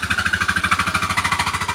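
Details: Scooter with strange noise and no power when pulling away, engine running: pulsing about twelve times a second with a rattly buzzing clatter from the CVT, from jammed variator rollers.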